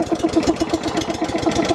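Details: Graco LineLazer V 200HS line striper, pull-started with choke engaged, hydraulic pump off, pressure dial wound back and prime valve down: small single-cylinder engine catches and settles into an even chuffing beat, no misses or knocks; normal start.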